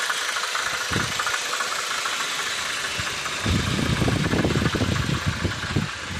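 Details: VW Passat B5.5 1.8T 110 kW, uneven knock about three times a second over the engine hum at idle; cause unknown.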